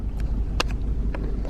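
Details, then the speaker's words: BMW 318i E46 Touring at idle, just restarted after air in the fuel line: low rumble broken by uneven sharp pops at irregular gaps, engine missing at idle; owner suspects a coil that has lost its plastic, not confirmed. "some fuel through there still looks dry [Music] now it's missing like this again and it does this um"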